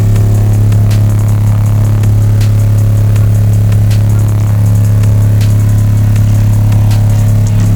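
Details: Subwoofer box playing a loud low test tone around 32–35 Hz, with a faint, irregular clicking buzz on top. Enclosure rattle from a loose panel.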